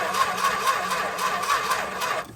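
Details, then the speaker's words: 1964 Chrysler Newport with a start bypass wire and ballast resistor wiring: sluggish starter chug at about four turns a second drags and dies without catching because the battery is too weak. It ran after adding a jump box. "Yeah, there's not enough battery left to start."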